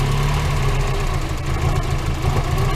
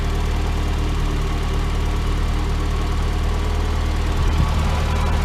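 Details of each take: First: Mazda Miata idling before new NGK plugs and wires: low, uneven, lumpy beat, almost stalling. Owner suspects the wires; a cracked part and one wet spot were then found, and replacement fixed it. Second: Rocket Bunny Miata after new NGK spark plugs and wires replaced a rough-running idle: steady even low petrol idle, much smoother and firing up better, with a new faint irregular tick audible.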